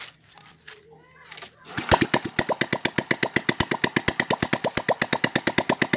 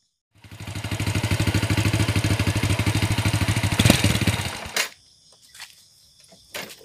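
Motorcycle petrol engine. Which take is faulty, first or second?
second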